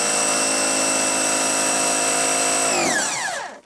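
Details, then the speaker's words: Oleo-Mac PW 110 C pressure washer after a new bypass/unloader valve and a valve and seal kit: an even motor whine winds down as pressure builds, then auto shut-off, holding pressure with no more clicking, normal operation. "Все, мийка у нас набрала тиск і вимкнулася. І тримає. Вона більше не клацає, вона набрала тиск."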